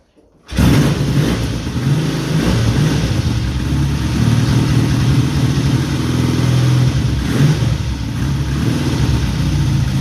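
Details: 1968 Triumph T100C Trophy 500 twin, after stripping and cleaning its Amal 626 Concentric carburettor: kick-started on full choke with a bit of rev, it catches straight away and settles into a steady, even beat, running cleanly.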